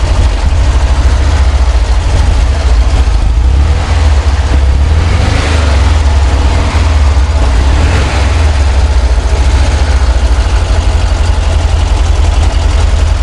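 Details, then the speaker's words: VW Kombi engine after a mechanic's repair of a frightening knocking noise on first start: deep, steady idle thrum with even beat and no knocking; normal idle, noise changed completely. "eu coloquei de novo novamente para vocês escutar o barulho da Kombi mudou totalmente"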